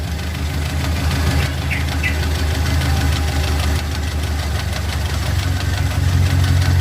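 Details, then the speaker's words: Suzuki Katana carbureted engine after adjusting carburetor idle and air-mixture screws: steady, even idle with smooth low rumble, no hunting or misses; engine stable, normal idle. "Ini sudah stabil mesinnya"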